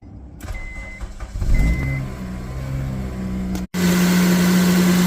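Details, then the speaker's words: Honda Civic Type R FN2 starts and settles to a steady, even idle with no squeal or rattle. The earlier horrible noise is gone after the A/C compressor was removed and a shorter belt fitted. "there we go all fixed so next job is to look at the clutch"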